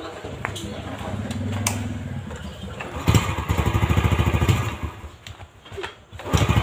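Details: Yamaha Jupiter Z after engine rebuild (new piston, valve stems replaced), first start test; before teardown it pinged/knocked, wouldn't idle and smoked white: a few cranks, then steady even putter with no pinging or knocking; normal start and idle.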